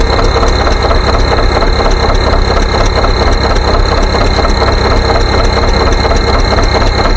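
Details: John Deere 720 two-cylinder pony-start diesel tractor: a slow, even putt at idle, about two low thumps a second over a steady rumble; a healthy old diesel ticking over.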